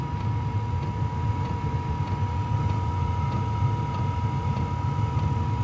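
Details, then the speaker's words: Cabin diesel heater set even lower via two top buttons: slow even tick about every half second over steady hum and fan drone, pump clicking slower, normal. "this is the temperature of the chamber inside and you can hear the pump just clicks slower and the chamber is going to start dropping"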